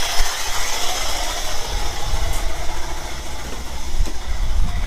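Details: 1997 Chevrolet Camaro saved from the crusher, just started with intake off and parts loose: low lumpy idle rising and falling with dropped beats.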